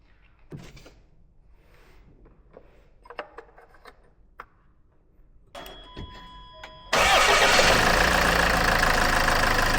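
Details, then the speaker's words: Land Rover Freelander after an oil and oil-filter change, at start-up: cranks and catches to a steady, even diesel idle with no knocks. No oil pressure light and no leaks; healthy. "Cool. Also ran that up. All pressure light didn't come on or anything."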